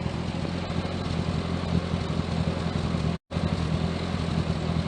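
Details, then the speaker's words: 1098cc A-series engine in a Turner Ranger Mini-based tractor, reassembled after SU HS2 carb service, AN needle fitted and points cleaned and regapped. Even, steady low putter holding a smooth idle, no misses or knocks; running healthy. "There we are, it's all back together now. All seems to be running quite well."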